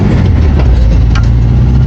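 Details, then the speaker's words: Air-cooled VW bus engine after cleaning sandy, crusty main and idle jets, adjusting linkage and changing the distributor: low, lumpy wavering idle, running better but not right; driver's side carburetor suspected, shaft play noted. "even with changing out the distributor and couldn't get it to run perfect I think the driver's side carve is just all kinds of code"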